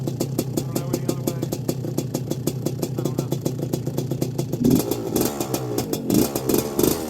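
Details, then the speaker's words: 1981 Suzuki RM125X two-stroke after a complete rebuild, 2mm overbore, on its first ride, mixed rich for break-in: a crisp, ringing crackle at a steady fast idle, then a few clean throttle blips; runs evenly with no misses or rattles. "i'll start it up uh she's a smoker right now because i think the exhaust has got a lot of old oil in it but i do have it rich mixed rich during the break-in so don't mind that when she warms up she really rips"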